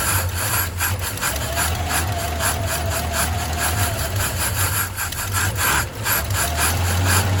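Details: Old Chevy straight-six truck with a one-barrel carb, run last week, fuel filter dry and system unprimed, fed from a gas can with gas poured into the carb: long, uneven crank about three turns a second without catching. Hard, prolonged cranking; always cold-blooded.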